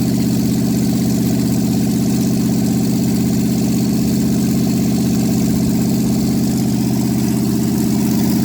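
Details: Cold start after sitting overnight in a closed shop, manifolds around 10°C; carbureted engine with no exhaust fitted gives a loud, even idle with a deep, steady burble and no misses or knocks. Healthy normal idle; owner muses about running straight pipes.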